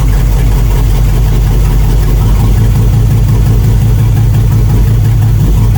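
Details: 1999 GMC Sierra 2500HD running down on cylinders with good compression and spark, during liquid-fire test: loud, lumpy low rumble, uneven beat about two pulses a second; several cylinders dead from clogged, seized fuel injectors, fuel rail rusty.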